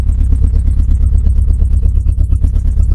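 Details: Renault Clio Mk1 1.8 16v started on a cheap battery after some cranking: a very loud, deep, rapid popping beat with a harsh tractor-like bark at idle, because no exhaust system is fitted.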